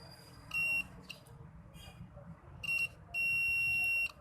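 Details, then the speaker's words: Analog meter on buzzer setting checking the ringer speaker of a China keypad mobile with ringtone volume at zero: a short then long steady beep, speaker coil reads OK with continuity. "Speaker की reading हमें बिल्कुल okay मिल रही है, हमारा speaker जो है वो buzzer दे रहा है।"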